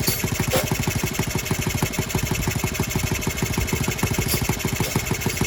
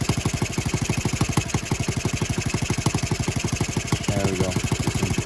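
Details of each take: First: Restored Honda Z50R on first start, muffler on, no choke. Steady idle with a quick metallic rattle on each firing, about three a second; cylinder head is loose and leaking, with head bolts to be tightened. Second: Honda Z50R idling after its cylinder head bolts were tightened to about 10.5 ft-lb (125 in-lb), following a valve adjustment that left them finger tight: even, steady single-cylinder putter with no misses or knocks; leak gone, normal idle.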